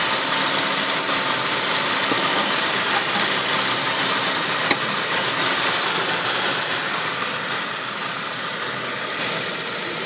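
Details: Saab 9-5 turbo engine, turbo 10,000 km old, running E85, not fully cold (about 30 °C). A hissy, busy idle with a quick, fairly regular tick three to four times a second; the source of the abnormal noise is unknown.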